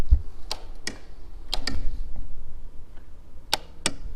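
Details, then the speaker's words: 2001 Porsche Boxster S (kit-car body, relocated emissions canister): sharp isolated clicks, about six in four seconds, from the vent valve switching normally; originally it would not click, causing the can't-fill-fuel-tank problem. "you should hear that one valve clicking. And originally mine would not do that."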